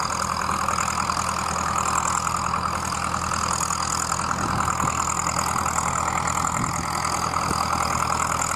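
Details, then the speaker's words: Vintage Fiat 70R tractor, about 50 years old, pulling a plough at a ploughing event: deep, even diesel thrum with a steady firm beat, no knocks or misses; healthy engine. "e quando sentite così un rombo così Un battito del vuol dire che è un motore un ottimo motore"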